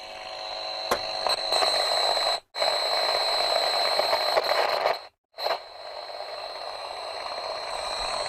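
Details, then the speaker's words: Hacker Herald RP30 transistor radio during IF/RF alignment after the electrical restoration (transistors and capacitors replaced), signal generator around 470 kHz: a steady high whistle under heavy hiss that drops out twice. Test tone comes through with excessive noise, cause unclear. "There's our tone there. That's just, we're going to have to go back through that again then. So we had a lot of noise coming through that."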